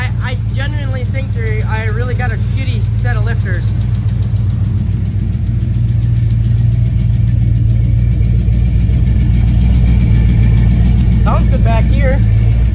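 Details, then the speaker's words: Squarebody Chevy C20 V8 after first run at about 2000 rpm for 15 minutes, valve cover off on side with a pulled stud, oil pressure 60 psi, temp normal: idle with quick clatter that swells and fades, popping back through intake; valvetrain cause unknown. "if it wasn't for the clacking and coming back through the intake it even doesn't run that bad"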